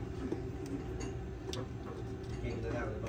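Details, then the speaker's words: EZGO TXT/PDS electric golf cart, forward, key on, pedal pressed: quick uneven clicking, solenoid pulling in and dropping out rapidly with battery voltage present at its small posts; controller drive side not holding it. "but this here Clicks in clicks out so fast reset it clicks in clicks out so fast that you can't really you see it try to change but it don't which means you're getting battery voltage"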